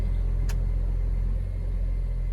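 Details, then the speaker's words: Ford Fiesta with Rocam engine, first start of the day, air conditioning off: even, low idle rumble with no whine or rattle; normal idle. The noise appears only when the AC is switched on. "daqui mesmo vocês conseguem escutar o barulho normal do carro Esse é o barulho de funcionamento normal dos fiestas motores até rocan"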